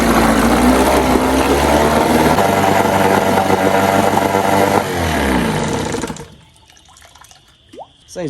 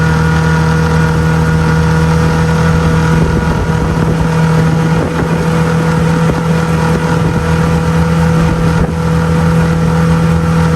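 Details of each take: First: 1997 Johnson 6 hp outboard after clearing clogged tell-tale outlet: fast, even, buzzing drone before shutoff; idle very high in neutral, drops in gear, runs and shifts both gears. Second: 2002 Lund 1236 jon boat with 6 hp outboard at speed: loud, steady buzzing drone at constant pitch, no misses or surges; held steady 13 after planing, touched 14; running cleanly.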